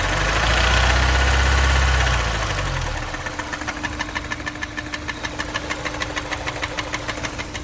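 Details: Honda S2000 for sale: after a brief rev, a sharp, even knock at about three per second over the idle; engine knock, cause unknown.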